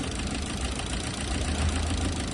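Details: Petrol/LPG car with one cylinder misfiring; misfire persists on LPG, ruling out the petrol injector, and is traced to a burnt valve: rough, uneven idle with a lumpy low beat that stumbles irregularly.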